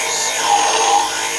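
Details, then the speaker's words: Polishing wheel on a shear-sharpening setup gives a rough, buzzing chatter during polishing: one wheel has worked loose because it was not tightened enough; quick fix is to tighten it. "if you hear that noise it just means that one of your wheels has loosened up a little bit you can actually hear that chatter"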